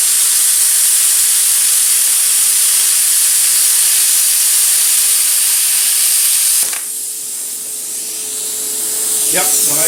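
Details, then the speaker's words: Cheap eBay plasma cutter cutting 3/16 steel plate with slag and scale, going slower for a better cut, compressor shut off so air pressure is low; steady arc hiss with faint thin tone. "let's try it again so you can go a little slower and get a better quality cut it's all experimental to me"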